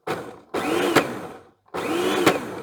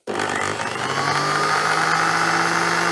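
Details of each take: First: Plastic kitchen slicer appliance from e-waste pile: motor starts then runs with rough grinding rattle and sharp crack; plastic drive gear fatigued and cracked in two spots, suspected worn bush or bearing. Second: 1970s blender with glass jug, no safety switches, powered up on bench: motor spins up to a smooth, steady, powerful high whine and winds down cleanly with no grinding or rattle; normal motor run.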